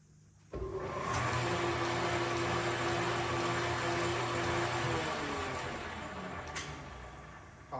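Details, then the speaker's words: 120-year-old Pratt and Whitney metal lathe being revived, running belt-driven in high speed: steady loud drone with low hum and mid whine, then coasting down; owner finds it unusually noisy. "right high speed kind of sounds like a lot maybe we're going to not go high speed till we figure some other stuff out"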